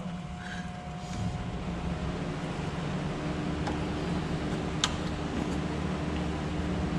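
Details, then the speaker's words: Barn-find 1978 BMW 320i, undriven since late 1990s, just fitted with new fuel injectors, still on old gas; steady, even idle with soft fan-like hum, no knocks or misses; alternator reportedly dead; running normally. "but it runs yeah it does sounds good sounds strong"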